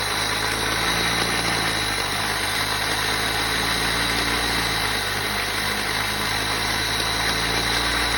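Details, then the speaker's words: Opel Zafira 1.8 at idle: fast, uneven knocking over a loud whooshing hiss; water pump shows heavy play when levered, suspected as knock source but unconfirmed. "Может ли на самом деле грохотать так сильно помпа воды?"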